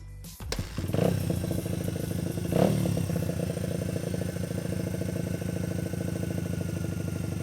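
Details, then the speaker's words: Honda XR80 dirt bike after a carburetor rebuild kit and raising the needle clip one notch to lean a rich mid-range hesitation: starts at once, two crisp blips, then an even, steady idle with no hesitation; runs well. "Yeah Good So I think we got to run pretty good now"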